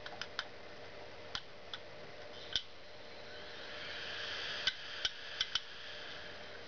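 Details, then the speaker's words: Western Digital 80 GB IDE hard drive on power-up: sharp irregular clicks over fan hum, spinning up and down; failing drive's click of death. "you can see it's spinning up and down and it's clicking the same"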